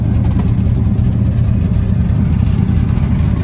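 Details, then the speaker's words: Abandoned 1967 Ford F-250 highboy with a 352 V8 and four-speed, revived on a small add-on fuel pump: a deep, steady, even rumble with slight smoke after blowing debris out of the mufflers. Normal idle. "it's smoking just just a little bit pretty slick blew out a bunch of crap out of the Mufflers which that's to be expected"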